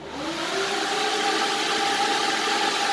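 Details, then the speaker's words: Supercharged Corvette with new DeWitt radiator fan plus auxiliary fan: strong, even rush of air with a steady hum and no rattle or wobble; electric cooling fan running smoothly, owner feels strong airflow. "I mean, I feel air right here. I'm sitting on the side of my car. I can feel that air just pumping, sucking that in."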